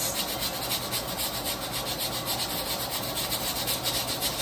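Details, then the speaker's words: Stovetop pressure canner canning taco meat: after a 10-minute steady steam vent the weighted regulator is put on and starts rocking within a minute, a steady hissing chuff about twice a second like a train; normal rocking at pressure, 90-minute timer starts. "Okay, it took less than a minute and we started swiveling. You see how it's swiveling, and it's like, I always call it like a train because it sounds like choo choo choo, it sounds like a train."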